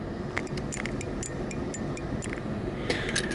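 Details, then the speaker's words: Legends Pinball start/home button, newly installed DB3 microswitch held near microphone: few crisp light irregular clicks over faint room hiss, nothing sticky or mushy; switch working normally after replacement. "Perfect. We can hear it clicking here. I'll bring it up by the microphone."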